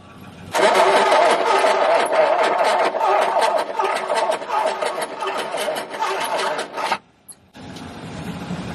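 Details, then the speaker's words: Very early 1969 Ford Capri MK1 barn find, not run for many years, cranking attempt: starter turns in slow, uneven pulses, about three a second, never catches; voltage lost at a battery connection. "can you do that connection yeah losing power there all right yeah yeah we're losing that power there"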